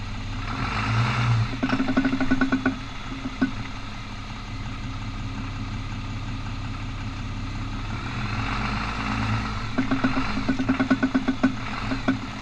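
Over a low idle-speed rumble, two bursts of rapid clicking ratchet through the turn, then fade; a 4x4 binding or ratcheting while turning.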